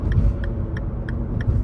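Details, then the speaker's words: Tofaş Şahin whose engine was fully rebuilt 12 months and 3,500 km earlier, push-started after getting stuck in mud: a sharp metallic tick about three per second over a rough idle, a top-end clatter; owner feared engine damage, cause unconfirmed. "böyle çak çuk çak çuk çak çuk çak çuk falan Demir demire vuru ulan dedim motor mu yedi araba yani dedim"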